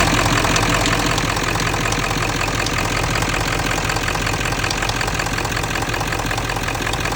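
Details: 7.3 diesel (OBS) at steady idle: sharp, even metallic tick roughly three per second over the usual typewriter-like diesel clatter; source still unknown.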